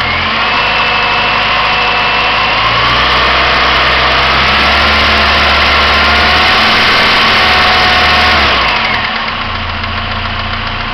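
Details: 1999 Pontiac Grand Am SE engine warm at idle: steady regular knock about three per second over exhaust drone; silent when cold, goes away at higher rpm; owner suspects timing chain or rod, cause unconfirmed.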